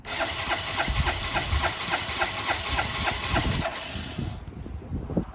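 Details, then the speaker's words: Barn-find 2005 Suzuki GZ250 single, 950 miles, old fuel: starter churns engine at a steady rapid beat, never fires; no fuel from petcock on main or reserve, fuel starvation suspected; cranks but won't start. "I'm just gonna crank it real quick, see if any fuel comes out of the petcock. No, no fuel."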